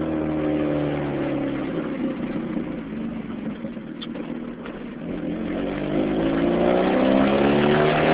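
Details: Modified 2006 Chevy Cobalt SS supercharged, revving: a raspy, puffing edge on the exhaust note rises with revs; exhaust leak at the header/downpipe joint.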